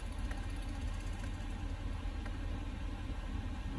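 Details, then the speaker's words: 2020 L5P Duramax diesel truck just after fuel filter change; cranked 5-6 seconds before firing: deep steady idle rumble with even beat, no stumble, knock or hunting; normal smooth idle. "and then fired up and has been idling smoothly."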